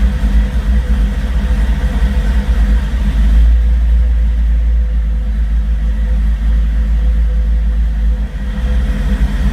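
Deep, lumpy engine rumble with an uneven, unsteady beat and a brief blip of revs; idling rough, cause not clear.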